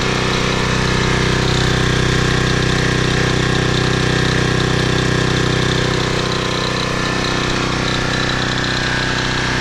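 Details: 2010 Toro Recycler Personal Pace 20333 mower, first start on previous owner's botched new carburetor (stripped screw, makeshift bolt): loud fast note with regular pulsing near three per second, revving too high and uneven; cause not confirmed.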